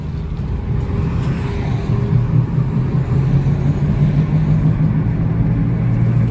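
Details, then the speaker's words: 2009 Jeep Compass, front-wheel drive, likely CVT, test drive under 20 mph: low steady growl under road noise holding pitch; roaring noise while driving, CVT versus hub bearing suspected, source unconfirmed. "Now, think about this type noise, guys. You can suspect this is a little front wheel drive Jeep Compass, likely with a CVT transmission. Now, because the CVT transmission has been known to give off roaring type noise too, you got to be extremely careful on how you diagnose it."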